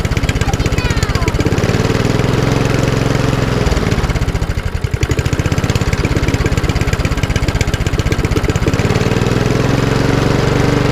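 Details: Lawnmower, RV150 single-cylinder engine with Briggs air box, first start after reassembly and refuelling, carburettor bolts tightened; steady even pulsing with a brief mid-clip dip and quick recovery; runs cleanly.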